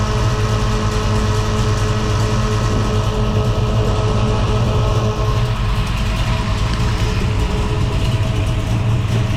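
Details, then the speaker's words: Holden HT Monaro V8 after replacing faulty MSD ignition module, thermo fans on: strong, even burble holds steady with no misses, knocks or stumbles; engine sounds healthy. "eh sounds good he going to hold that down the back well I must say I'm very pleased with that that sounds mint"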